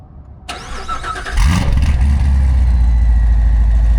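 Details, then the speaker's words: C7 Corvette, first start after an ESS Tuning supercharger, TSP 2-inch headers and straight-cut gears were installed. A starter whirr, then a deep, steady, even idle; a clean, normal start, with the owner noting a slight gear whine. "Oh, see, she's awake now. That's what we're looking for."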